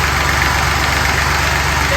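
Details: Fordson Dexta tractor diesel with vacuum-governed mechanical pump, after a pump tweak: even clatter at a steady idle, no misses or hunting; running sound.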